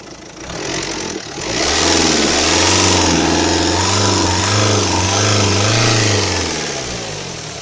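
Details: Renault Kangoo K9K 702 diesel, fully warmed up after about 10 minutes at 2000 rpm, revved: raspy, puffing hiss over the drone like a cracked muffler. Seems to come from near the EGR; no exhaust cracks found from manifold to muffler.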